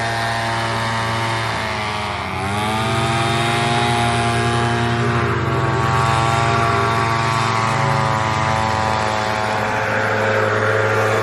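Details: Echo PB-200 two-stroke leaf blower after cheap fix, discharge attachment refitted correctly (had been on sideways): buzzing at high revs, dipping briefly then climbing back to steady wail; running smoothly, normal.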